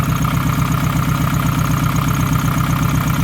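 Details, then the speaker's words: Nissan Pulsar GTiR after water pump replacement, idling: steady low pulsing with slight unevenness; timing marks can't be seen, so timing suspected far off, possibly pulley fitted in the wrong direction. "So, it's it's timed completely off, but it's not completely off cuz it it still runs a little bit."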